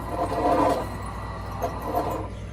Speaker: And part of that is the drum was just touching, because I've already loosened the screws a little bit just to get it set up for the video. But you can hear the squeaking noise that's going on. It's on both the front and the back bearings.